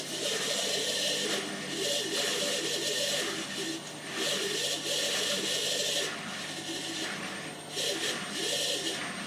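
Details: Hotpoint washing machine squeaking only while spinning on the 30-minute cycle, ongoing for a few days: rough whir with a squeak repeating about every half second; squeak during spin cycle.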